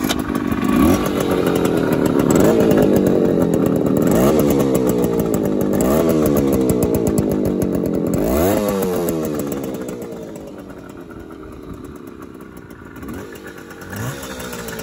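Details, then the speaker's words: 1972 Suzuki T125 Stinger restored two-stroke twin, few miles since restoration, riding just after pulling away: crisp ring-ding buzz rising and falling cleanly with throttle; feels really smooth, normal running. "I've only just pulled away it feels really smooth good oh yes listen to that as well"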